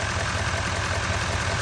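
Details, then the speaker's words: 2017-2019 Chevy L5P Duramax 6.6 diesel idling just after No. 4 injector pigtail replacement, after sitting two days, no fuel leaks: even diesel clatter with a steady rhythm and no misses or knocks, a clean healthy idle. "I mean, it looks it sounds like it's doing pretty good."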